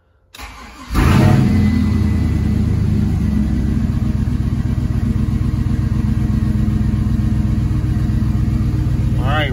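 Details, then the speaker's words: Cadillac Escalade 6.0 LQ9 V8 rebuilt with dished pistons, ported 862 heads (10.5:1) and an LS6 cam, water pump not yet fitted: catches on first crank into a steady even idle, idling lean; runs clean and healthy. "that sounds good no trouble to hear that cam it's not a big cam but it does sound good though seems to be running nice not bad at all"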